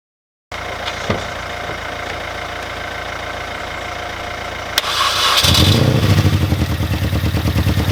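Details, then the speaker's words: Mini Cooper R50 at idle after new spark plug leads, plugs torqued and coil pack cleaned: quiet, then catches into a choppy, pulsing idle with a missing beat; still misfiring badly, engine management light on, sometimes cutting out. "The car is still running very rough. The engine management light is still there. I don't know what to do."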